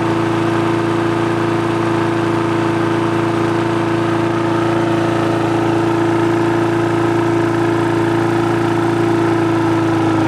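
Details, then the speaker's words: Push mower that had a starting problem, after carb cleaning, a new diaphragm and gasket, and a replaced spring: smooth, steady buzz with no knocks or surging while the rpm is adjusted via the spring levers. Normal running. "all right guys so there you go it's uh running good there"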